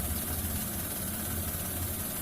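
Quiet, low, steady hum at idle with no knocks or rattles standing out; the small petrol engine is idling normally.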